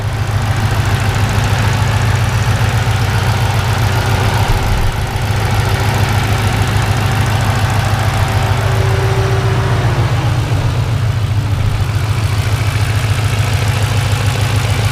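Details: Turbocharged Ford with a 60mm turbo kit at 5.5 psi boost and a custom tune: steady low thud at idle, about three to four knocks per second, strongest toward the rear, louder when cold; owner suspects something loose, cause undetermined.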